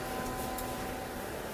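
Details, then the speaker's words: FloJet 18555000A macerator pump, gray tank valve opened: quiet steady motor hum with faint constant tone and water rushing through hose, sound changing as gray water goes out. Normal macerator pump operation. "now I open up my great tank and you hear the difference in sound as the great tank water goes out"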